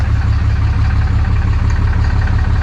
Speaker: She sounds good, guys. She does.